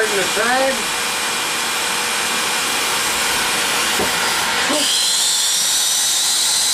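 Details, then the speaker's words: Shop vacuum on a PVC-pipe vacuum-forming rig: steady rushing suction, then a high-pitched whine as the plastic sheet seals off and sucks a hole through itself, starving the motor of air; motor whine from blocked airflow. "I believe you could hear that high-pitched kind of whine there. All right. You don't need two-stage vacuums. This vacuum's got more than enough. What actually happened there is it pulled the plastic so tight underneath the PVC pipe here that it actually sucked a hole through the plastic."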